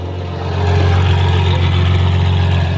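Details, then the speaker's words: Modified Bentley Continental creeping forward with no power steering. Deep engine rumble with rhythmic low thumping and knocking from an axle broken after the clutch was dropped. "something else is broken do you hear that some's knocking it's like a yeah broken"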